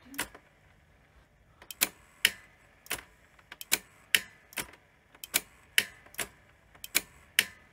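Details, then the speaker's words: New-old-stock Sony SL-C7 Betamax VCR with no-audio fault: playback relay with whitened, poor contacts now moving where it wasn't before, sharp irregular popping and clicking about twice a second; relay replaced afterward, fixing the fault. "I can see it moving now it wasn't moving before and it's popping and clicking"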